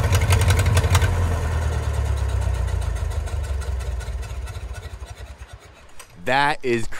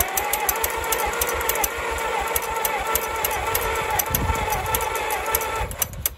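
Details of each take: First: 1934 Allis Chalmers Model M crawler, 300 cubic inch four-cylinder, 85 years old, long unused; loud open-throated low thump from bare exhaust, steady firing slowly settling; runs pretty good without muffler, only the right track clutch apparently not releasing. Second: 1934 Allis Chalmers Model M crawler, 300 cubic inch four-cylinder, first start in over a decade, temporary ignition wiring to points and battery; even starter cranking, then a couple of sharp pops as it briefly fires and blows out oil; no exhaust fitted.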